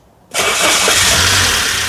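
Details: 1992 Saab 900 Turbo, first start after stuck ignition switch repair: quick crank catches right away into a steady, even run with no knocks or grinding; starts cleanly and sounds healthy.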